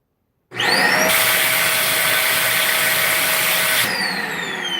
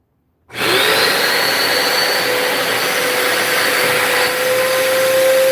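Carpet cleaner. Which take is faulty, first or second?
first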